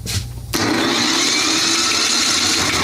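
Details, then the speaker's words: Yard Machines snowblower Tecumseh 8 hp engine, electric starter with spark plug removed: hard, steady, labored whir with no firing; engine stiff to turn over, straining. "oh now it's coming up yeah see you should have heard it it was definitely stiff"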